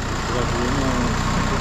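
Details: Used car engine, a timing service recommended: steady, even low idle with a fast regular pulse and no knocks or misses; engine sounds healthy.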